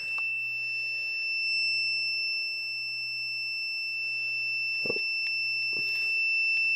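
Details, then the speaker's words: Intellitec BD0 RV battery disconnect latching relay, serviced after sticking on: multimeter on continuity across the contacts gives one unbroken beep through handling knocks, relay clicking and staying latched. "And I've just got my my voltmeter hooked up here across these contacts, just on the continuity setting, just to verify that it's latching correctly, which you can see it is, and you can hear it clickin"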